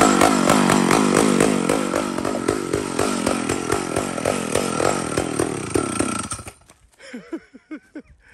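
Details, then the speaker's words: Mac 125 SP big two-stroke chainsaw with worn old chain; holds a high, even scream through the cut without bogging, then winds down: healthy chainsaw under load. "amazing amazing so that's like a scarfed up old chain this thing pulls these things are nuts they they blow me away they blow me away wow what an amazing power saw"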